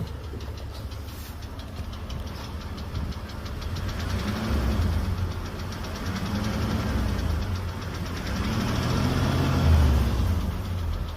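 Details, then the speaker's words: Engine idling with a clear, regular knock at about 220 per minute that never settles. Others claim it is hydraulic lifters and thicker oil would quiet it, but that is doubted; it sounds like a real internal knock, source unknown. "так Явный тук мотора слышим говорят что гидрики залить говорит масло надо погуще гидрики перестанут стучать"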